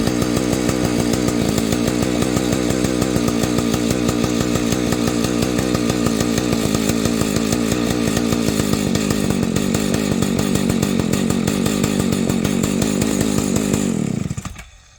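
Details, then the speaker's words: Husqvarna 285 chainsaw: starts easily, idles unevenly about fourteen seconds then stalls abruptly; repeats after a few minutes' wait; owner suspects ignition problem, considering a Husqvarna 480 ignition; stalls after idling. "so there's my dilemma it'll start easy it pumps it'll idle and then it just stalls"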